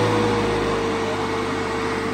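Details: Fieldpiece MR45 refrigerant recovery machine on automotive A/C, purge method, line under vacuum around -27 to -28: steady even hum, constant mid-pitched tone, no knocking or rattling; compressor pulling down smoothly and running normally.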